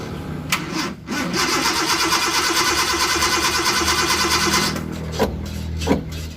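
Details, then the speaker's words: Suzuki Carry 1.0 with a carburetor that flooded after a wash, cranked with the accelerator held fully down: the starter cranks several seconds, then the engine catches and runs rough and low; excess fuel causes the hard starting. "Karena apa? Ketika kelebihan bahan bakar otomatis akan susah hidup juga lur."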